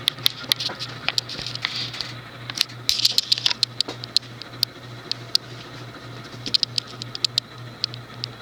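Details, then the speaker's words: Universal (SMC) Laguna 36-inch ceiling fan, model KB-36, made April 1989, thinner residential motor, running at medium speed: irregular dry ticks and scratchy clicks over a faint motor hum; worn bearings, likely from storage, to be replaced. "Hear that bearing noise. Delightful."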